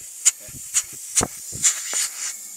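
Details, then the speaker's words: Chevrolet Corsa with overheating and power loss, leak-down test with the engine off: sharp bursts of air hiss as compressed air escapes and pressure drops at once, pointing to a blown head gasket on that cylinder. "acá está botando todo el aire y vean como de una vez decayó la la presión de acá"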